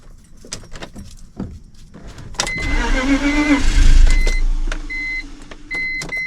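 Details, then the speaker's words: Project car (BMW), parked long ago after running, cranks long and laboured, nearly catching but never firing; owner suspects it isn't getting enough fuel, fuel smell building. Extended cranking, no start. "I think it ain't getting enough fuel I think it's not getting enough fuel"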